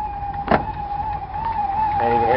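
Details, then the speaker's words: Dodge D150 half-ton with factory 440 big block idling after start: steady high whine from what sounds like the alternator's failing front bearing, plus a faint tick from an exhaust leak up front. "and the alternator sounds like the bearing's going out in front so you'll probably hear that as well"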